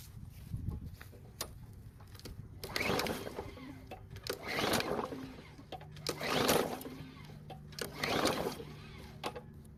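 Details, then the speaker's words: Cheap rebuilt mower, fresh gas, carb primed plus starting fluid: four rough pull-cord cranks about two seconds apart, never catches; turns over but won't fire, cause not yet found. "well it still didn't start so now I'm really confused as to what the problem is"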